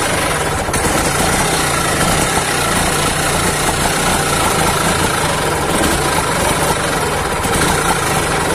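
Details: Auto rickshaw two-stroke with a racing problem, after the carburettor piston was cleaned and refitted: even, steady putter for nearly nine seconds with no surging or racing; normal idle.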